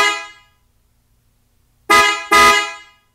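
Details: 2021 Toyota RAV4 with newly fitted PIAA Superior Bass snail horns (300 and 400 combo) replacing the stock horn: one sharp blast, a pause, then two quick blasts, each a clear steady tone; strong, healthy, normal horn operation.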